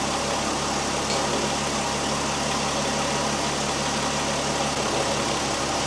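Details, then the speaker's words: 2001 Volkswagen Jetta GLX power steering pump at idle after bleeding the system, wheel turned back and forth; steady even idle with no whine or groan, no leaks, reservoir fluid clear without bubbles; quiet, healthy pump. "okay I got got through checking for leaks around the pump everything looks great the pump right at this point is nice and quiet right now"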